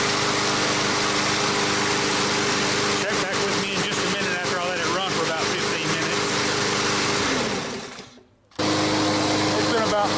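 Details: Brand-new Briggs & Stratton 500 mower engine, previously no-start and stuck, freed with assembly lube washed into cylinder; cold start: steady, even buzz, no knocks or misses, brief smoke burning off oil; healthy.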